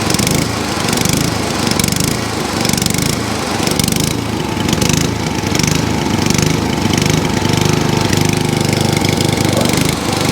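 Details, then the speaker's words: ATCO cylinder mower with a Dell'Orto carb, left overnight with fuel and no leaks, started on choke: engine surges slowly and unevenly about every second instead of holding speed; hunting because the choke was set too far. "That hunting because I put the choke too far around."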